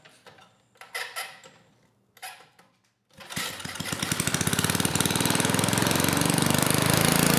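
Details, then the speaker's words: 1980s Troy-Bilt Junior tiller with a Tecumseh HS35 engine, started on the first pull: it catches immediately and revs smoothly with no misfires; normal running. "okay well maybe this will be an easy one you know it started first pull the engine sounded good and I could kind of rev it up"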